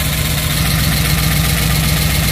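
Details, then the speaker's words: Rebuilt 1967 Pontiac Tempest V8 on first start, steady idle with faint fast valvetrain ticking heard on both sides, suspected lifters until oil reaches the top end; oil pressure appears good. "yeah it seems like the valve Train's a little noisy [Music] here I hear it on this side too interesting well we should make sure that we are getting oil to the top end"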